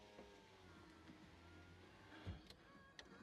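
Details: Mazda MX5 NC (Copart car), ignition on before first start: steady power window motor hum about two seconds without strain or grinding, stopping cleanly; window works normally.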